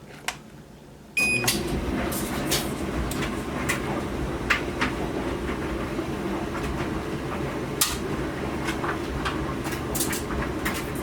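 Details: Duet Sport dryer after replacing the four drum support wheels, idler pulley and belt to cure a loud squeak, loaded with clothes: even drum rumble with light clicks from tumbling clothes, no squeal or scraping; normal dryer operation.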